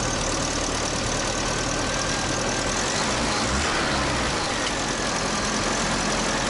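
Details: UAZ 31512, revived after priming the carburetor with petrol: steady, unbroken idle with an even low drone and no misses, knocks or rattles standing out.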